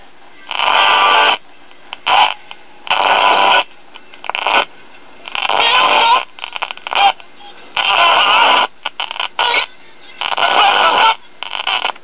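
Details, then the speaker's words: 1967 RCA solid-state record player with a modified preamp fed unregulated B+ (about 11.8 V through a dropping resistor). Music comes in bursts, then drops near silence, repeating, as the fluctuating supply voltage makes the audio cut in and out. "you can also hear the audio cutting in and out now I know that voltage fluctuation doesn't seem like much but in the world of modern solid state circuits a little bit can throw the whole thing off"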